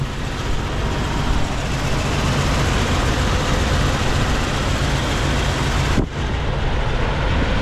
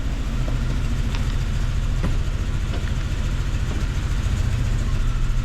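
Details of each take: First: 1999 Jeep Cherokee XJ 4.0 listed as needing an engine, first start after plugs and wires refitted: rough, uneven loping idle with dropped pulses under a loud rumble; misfire traced to blown head gasket between cylinders 3 and 4. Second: 1999 Jeep Cherokee XJ 4.0, earlier judged a dead engine, idling in gear shortly after its first restart. It has a steady low thrum with a slightly uneven beat (possible miss) and has kept running about 15 minutes without stalling.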